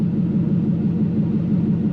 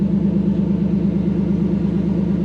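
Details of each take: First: Toyota KZN130 Surf with 1UZ V8 conversion, warm at 79 degrees, idling about 700–750 rpm with no exhaust fitted: loud deep even rumble, no misses or knocks; normal idle, only loud from the missing exhaust. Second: Toyota 1UZ-FE V8 swapped into a KZN130 Surf, no idle stepper motor fitted and oxygen sensors needing replacement: loud, deep, rough burble with no muffling, running on open headers; needs an exhaust.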